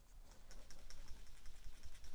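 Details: New PCV valve for a 2018 Subaru Forester 2.5L non-turbo at about 48,000 miles, shaken by hand versus the oily, clogged old one; quick, light, crisp free-moving clicking with no sluggishness, working normally.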